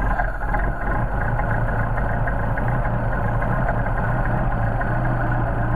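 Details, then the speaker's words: Mercedes 190SL engine on rebuilt Solex carburetors, fuel pump primed, choke on at cold start: a steady, even idle held at raised speed with a low, smooth beat. The choke linkage opens the throttles, causing the fast idle; running fine. "notice when I activate the choke I'm actually moving the throttle that's what that's what where your increase in idle comes from when you're choking the car"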